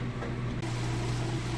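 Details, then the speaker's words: Like-new Maytag top-load washer on normal cycle with heavy jeans and towel load, after rinse, draining in neutral before final spin, not spinning: steady low hum with water moving, no grinding or rattle; normal drain. "you can hear it draining that water out get that water out of there pretty quick in what's called a neutral cycle so it's not spinning right now"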